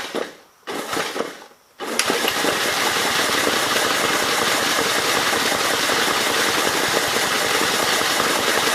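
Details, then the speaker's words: 1951 Gravely Model L 6746 walk-behind tractor with Wico magneto, missing fuel bowl, new fan belt, air intake head removed; a few cranking bursts, then it catches and runs fast, rough and even before dying after a brief run; owner suspects flooding. "pretty sure it's flooded right now i took the air cleaner the air intake head is off to see what that does"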